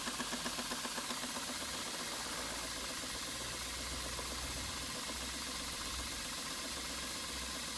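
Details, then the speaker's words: Stuart 5A steam engine under test on steam from a Castle Steam V6 boiler fired with charcoal, running outdoors: quiet, even chuffing at about four beats a second, steady pace, very smooth and well balanced, not moving on the table; normal running. "it really does room well it's one of the smoothest five days I've ever come across look at the speed of it and it's not dancing all over the table so somehow it's very well balanced"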